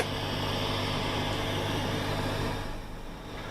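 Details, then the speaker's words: Mesa Boogie Mark IIC+ amp maxed out on clean channel after separating the preamp ground: only a faint even hiss with slight low hum, fading near the end; very low noise floor, healthy amp. "I might also point out, champions, that the noise floor is very low. Got some hiss there, but that's maxed out in clean."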